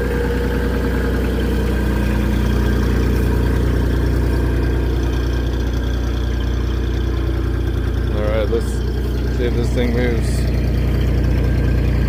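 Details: Mini skid steer (V1000) diesel just restarted after repair with a new ignition switch, preheat used; steady even idle with smooth regular beat, no knocks, misses or rattles; running healthy.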